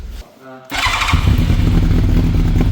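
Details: Yamaha FZR1000 Genesis motorcycle after long storage, started with a jump box and full choke: after a short crank it catches and settles into a steady, lumpy low idle, a normal start and idle.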